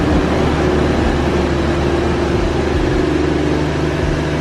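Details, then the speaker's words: Toyota JZX100 Mark II 1JZ after tune-up with new spark plugs and oil change, idling three minutes: steady even idle hum, no knocks, ticks or misses, much smoother than before; normal idle. "okay 1jz has been idling for a good three minutes no weird noises the 1jz is idling and running significantly smoother as to be expected"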